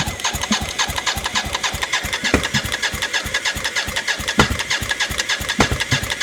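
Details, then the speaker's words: BMW K75 cafe racer custom, first start attempts after ignition rewiring, fuel at pressure, plenum top not closed: steady starter chug about three pulses a second goes on without ever catching. Owner suspects air intake issue or running low on fuel. "running low on fuel maybe so so okay gonna have to think about it some more"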